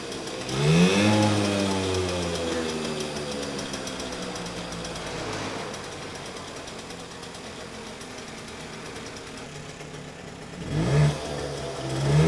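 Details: 1979 Puch Magnum moped two-stroke, restarted after about 40 years in storage, with a line hooked up from the tank to a pan: crackles into life, settles to busy steady run, sharp rev near end; sounds healthy.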